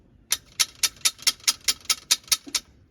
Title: How to fix internal rattling/noise from cables on a mountain bike? #mountainbike #bike